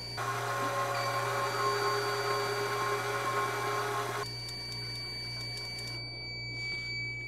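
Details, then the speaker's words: 4WD front wheel hub with a new, tight bearing, axle removed and spun by a motor tester: steady drone for four seconds then stops, only grease swishing and a low-battery beep, no bearing whine. "Now, about all you're hearing, you're hearing the beeping from the low battery, but if you listen closely, you're only hearing grease flying around in there. No whining noise."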